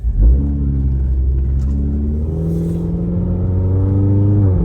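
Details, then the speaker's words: 2012 Scion tC automatic that slipped and would not shift, after replacing two shift solenoids: engine note climbs, drops cleanly and climbs again as it steps up through the gears under acceleration; shifts now crisp and normal. "But now the gears are shifting, which it wasn't doing that before. And you can hear it shifting."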